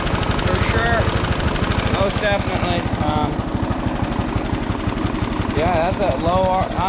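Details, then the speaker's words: 1979 John Deere Model 68 riding mower with five-speed transmission, running for the first time in years after a fuel leak was fixed, started on choke. Small single-cylinder thumps at a slow, steady low idle, smooth and healthy: normal idle. "Okay, let's see. Come on. Choke it. Oh, yeah. She runs real good."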